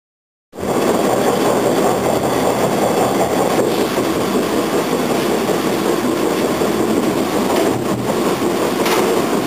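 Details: TTC Bombardier T1 subway car 5106 on the Bloor-Danforth line between Islington and Royal York, recorded on board. A repeating thump under a steady rolling roar occurs when moving at 10 km/h or more; cause unclear.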